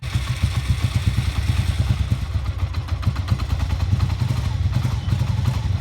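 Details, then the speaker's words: 1988 Honda Super Magna VF750 after clearing a hydrolock, refitting the rear plugs and adding new gas, choke on. Low, even thumping pulses with no misses or knocking. Normal running; carburetors still need cleaning for idle. "I'm just running pretty good I think I still need clean the car streets and when idle we're going to be doing that in next video"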